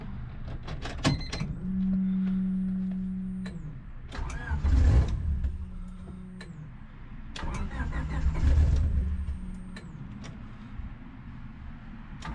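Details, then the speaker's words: Honda Civic D-series turbo build (cheap eBay turbo), first start attempt after a year of building: starter whirs in two bursts, engine catches briefly with a few uneven pulses then dies; no start, fuel problem suspected. "all right here goes the first start attempt it almost started"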